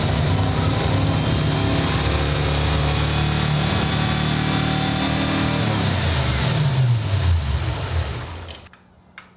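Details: 1995 Ford Mustang GT, 302 V8 with a swapped carburetor, after the gas tank was reinstalled: loud, lumpy, stumbling running with wavering revs before it dies. The cause is unconfirmed; they suspect the shelf-sitting carb needs a rebuild or its float checked.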